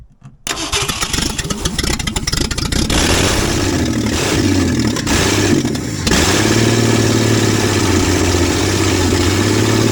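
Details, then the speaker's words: 1966 Ford Mustang, newly acquired and reassembled, first start: cranks, catches and runs rough with sharp pops and uneven revs, a fireball from the engine; owner questions fuel reaching the filter; backfire on first start. "Woo! She wants to live. And that fireball came after me there for a minute."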